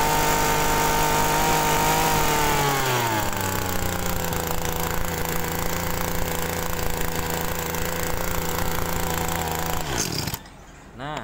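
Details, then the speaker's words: Two-stroke TU26 agricultural sprayer engine, carburetor not yet opened, wasting fuel; at full throttle the buzzing sags in pitch, never picks up, then cuts out; mixture too rich at high and idle settings, needs leaning. "Nah di sini menandakan masih campurannya itu dalam posisi tinggi maupun langsam ya maupun idel itu masih terlalu boros"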